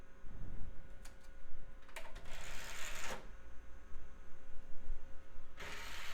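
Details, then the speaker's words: Budget mid-2000s PC, Toshiba optical drive: repeated clicking and whirring bursts as it tries to load, then ejects the disc without rotating it; the same disc reads fine in an NEC drive. "oh spit it right back out it's like what are you trying to do to me doesn't look like it even rotated the disc"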